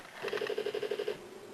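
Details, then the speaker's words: Car with intermittent hard starting (cranks but won't fire): a fast, even buzzing click, about ten per second for roughly a second, comes from the front of the engine before cranking; suspected to be related, cause unclear. "you hear that noise at the front there I think that has something to do with it maybe started that noise isn't good I'll have to look into that a bit further"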